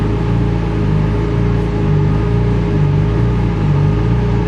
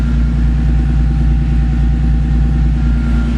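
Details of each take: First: Turbo or supercharged car on a dyno with fans on, camera mounted inside: steady drone rising and falling about once a second as the car surges before settling, boost gauge showing it; engine surging, not holding speed. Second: Car with a Horsepower Freaks turbo kit, cold start on a super-cold day after a few extra cranks: deep, rock-steady idle pulsing about three times a second, no hunting or misfire; healthy idle.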